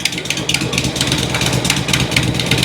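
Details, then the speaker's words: 2006 Harley-Davidson Road King Twin Cam idling after cam chain tensioner and inner cam bearing replacement, fresh oil change; flat ticking clap on each exhaust pulse heard at rear and front, suspected exhaust leak, possibly from flat kit exhaust gaskets; not lifter, pushrod or valve tick. "It sounds to me like an exhaust leak. It's really kind of flat clap. I hear it out the rear and I hear it out the front as well."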